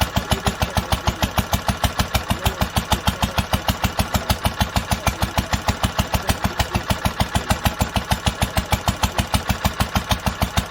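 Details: 1946 International Harvester LBB 3-5 hp water-cooled engine, first cold start after sitting covered a long time, started on the next pull after two choked turns; crisp, evenly spaced firing about two beats a second, steady and regular, running healthy.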